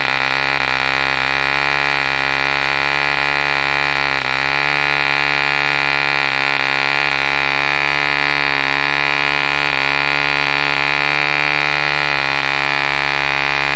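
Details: 1948 E.D. Mark II Competition Special, a long-stroke model diesel engine made in England, first start after a rebuild from two incomplete examples: a steady, high buzzing run holding speed evenly with no misses or knocks, running cleanly.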